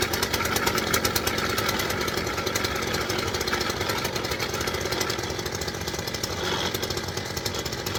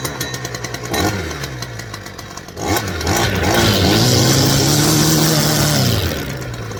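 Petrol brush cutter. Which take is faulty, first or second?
first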